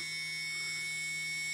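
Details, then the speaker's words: TBS 900KV brushless motor number two after moving black electrical tape balance weight: clean steady high-pitched whine, no wobble or buzzing pulse; near-perfect balance, barely any vibration. "Perfect Balance no barely no vibrations at all"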